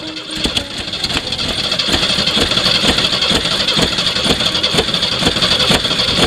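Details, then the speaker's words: Jeep with electronic ignition, confirmed to have fuel in the carburetor and spark, cranked with the choke worked by hand: fast, steady cranking with odd sputters that never catch, as if on one cylinder. The owner suspects the carburetor. Cranks but won't start. "about that close to running but it won't quite go beyond that almost feel like it's or sounds like it's running on one cylinder"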